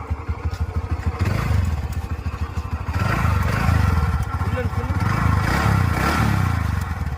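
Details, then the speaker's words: TVS Ntorq 125 scooter brought in for full engine work, idling loud and rough with an uneven clattery beat over low exhaust thrum; excessive engine noise, cause unclear, gearbox issue also reported, engine to be fully dismantled. "Vehicle start பண்ணி பாருங்கள், first என்ன sound வருதுன்றதை. வந்து பார்த்தீங்கனாலே தெரியும்."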